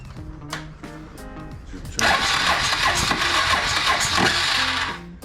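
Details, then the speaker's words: Suzuki DR650 after first service, choke out, no choke cable fitted and spark plugs not replaced: about three seconds of steady cranking under fading music that never catches; turns over but won't start, owner suspects it needs more fuel. "let's see if it starts so choke is out [Music] not working i think i need more fuel is that tap on yes"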